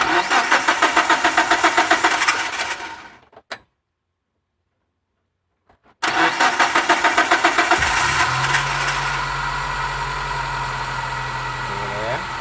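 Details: MPV engine that starts but dies when throttle is forced; after the air filter hose was opened, rapid cranking, a stumble to silence, more cranking, then a shaky idle; cause still being checked (sensors); engine stalling.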